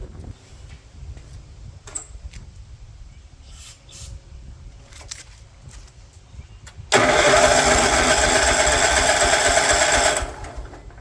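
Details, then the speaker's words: 36-year-old Toro Wheel Horse 416-8 garden tractor, fresh fuel and ether: about three seconds of fast, even starter churning with no firing; crank no-start, possibly no spark. "Might not be getting spark. Alright. I'm going to see if I got a spark plug somewhere."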